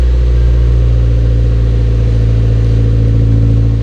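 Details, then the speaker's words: VVL S15 Silvia SR engine, fresh motor on its first start, before the oil change, warming to operating temperature with the earlier leak fixed. The idle is deep, smooth, steady and throaty with no knocks or misses. "really nice deep casual idle tone sounds really good it sounds a lot deeper than i thought it would"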